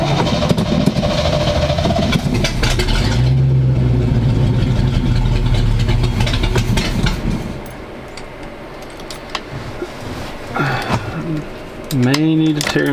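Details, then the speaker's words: 1985 square-body 454 big block, 4-speed, sat 20 years, fresh gas, 45-50 psi oil pressure, charging; choke on, loud steady raised idle, no ticking; owner may need to work on carb, won't rev well. Fast idle on choke. "look like the choke is on so that's why it's a little highing woo she sounds good"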